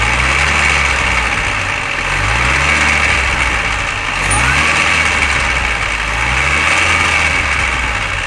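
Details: Mini R53 engine at steady idle: a busy, tinny rattle that never settles. It persists after replacing the timing chain tensioner, timing chain guides and PCV valve; the source is still unknown.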